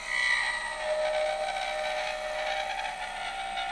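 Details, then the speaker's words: Woodturning a slender cherry hair pin on a lathe with a skew chisel: thin wavering high whine rising and falling as the tool cuts, the tapering spindle vibrating and chattering under the hands. "You can feel it vibrate under your hands."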